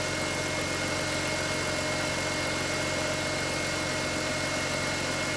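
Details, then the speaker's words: BMW X3 E83 after oil leak repairs. Smooth, even petrol idle with a steady hum and no ticks, knocks or misses. Normal idle; owner says it runs and sounds good and should have no more oil leaks. "Should have no more oil leaks now. Runs good, sounds good."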